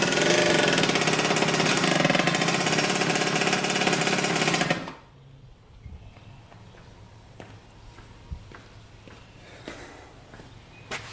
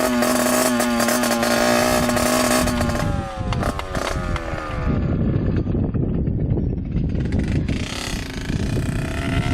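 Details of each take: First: 1986 Yamaha YSR 50 two-stroke, bump-started after the carburetor was refitted and primed with premix: crisp, even high-pitched buzz holding steady about five seconds, then cut off; runs great, normal running. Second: 1986 Yamaha YSR 50 two-stroke with aftermarket DG pipe, leaking some gas, first ride after purchase: buzzy revs sag and stutter unevenly under load, runs rough; owner suspects something plugged up restricting fuel flow.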